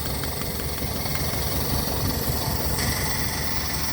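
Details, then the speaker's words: Toyota car with severe misfire, long starting, poor fuel economy and weak power: sharp, regular spark ticks snap at the plug lead over a shaky idle; this lead and plug test good, and the cylinder 3 plug is bad. "Plug भी ठीक है टिक टिक की आवाज आ रही है आपने"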